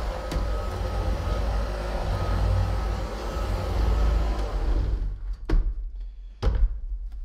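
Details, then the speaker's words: Hoover ONEPWR HEPA+ cordless bagged upright vacuum (BH55500PC) on low speed hard-floor mode over a wood floor with cat litter and cereal: even motor rush and light whir, then cuts off to a few clicks; runs normally, though the spinning brush flings debris behind. "we're going to try it in the low speed which is the hard floor mode"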